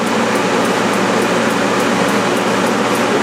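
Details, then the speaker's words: Propane shop heater with the propane turned off, fan alone at full speed before fitting a dimmer to slow it; loud steady rush of air with a faint pulse about three times a second; blower running normally. "I want to just see what this fan is like that's pretty loud"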